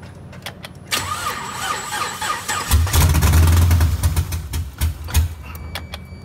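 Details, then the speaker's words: Chevrolet Camaro with multiple misfiring cylinders, injectors popped out on one side to check spray: starter churns about three beats a second for several seconds but never fires; crank, no-start. "i know it's not going to start up so hopefully it can start squirting or i can see if this works while it's trying to start"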